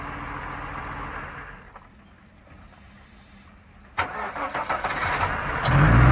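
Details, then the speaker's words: 1992 Mercedes 190E with M104 engine, restarted. After a quiet spell it idles lumpy and uneven, shaking: a cylinder misfire. "ბიჭო აზის ალი ჩაგდებით მუშაობს რაღაც რა >> ზედმეტად ჩაგდებით მუშაობს"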